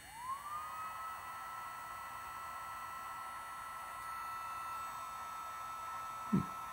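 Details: Gen1 BioLite CampStove fan after replacing a dead lithium-ion battery that had been heat-damaged in attic storage: thin whir climbs quickly to a steady high pitch and holds evenly. Fan running normally.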